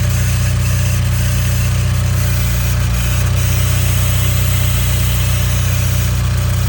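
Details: 2015 Nissan Juke Nismo RS, 112,000 miles, at idle: a fast, fine static-like rattle of about four a second over the engine, first mistaken for a vacuum leak; the car drives well, and a timing chain issue is suspected.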